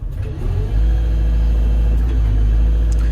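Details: Loading shovel with tip bucket fault, after replacing failed proportional valve: diesel note rises and holds steady as hydraulics take load, no squeal, chatter or knock; bucket tilt working normally.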